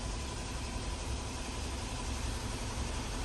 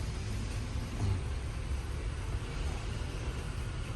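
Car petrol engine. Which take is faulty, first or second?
second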